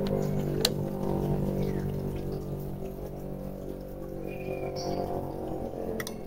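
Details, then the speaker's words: Sakura AV-733 USB/SD amplifier with no sound, during repair after bias voltage check: single crisp protection relay click just after power-on over low hum; relay engaging properly, then powered off before output transistor replacement. "Yun guys, nag-click siya, power off."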